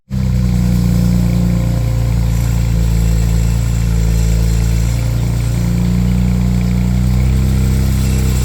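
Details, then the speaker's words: BMW 335i N54 3-litre twin-turbo at idle: steady drone with a loose, tinny metallic rattle like bits of metal rattling around, the known N54 turbo wastegate rattle. "Now that sound, I mean, if you go to, let's say you go to a car meet with your brand new 335 and you start it and it makes that noise, it's not the greatest feeling, because I mean, you just bought the 335, it's 3-liter twin turbo V6 and it sounds like it's got bits of metal rattling around in the car."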